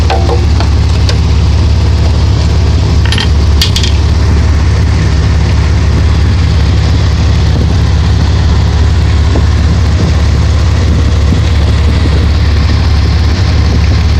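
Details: 1992 Dodge Dakota at idle: steady low drone with a loose, roughly regular knock underneath; owner wonders whether the torque converter is the cause, not confirmed.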